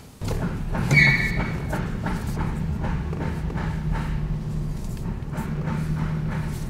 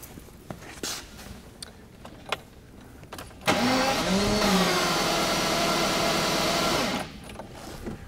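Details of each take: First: 1982 Jaguar XJS V12, now running after no-start repairs: a smooth, even low idle swells briefly with a quick throttle chirp and settles straight back. It runs well, though an oil puddle appeared once it ran. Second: 1982 Jaguar XJS V12 cranking for about 3.5 s with the coolant temperature sensor deliberately unplugged so it won't start. A test light on the coil negative now flickers as it should, after an ignition module fault. Even starter whirr, no catch.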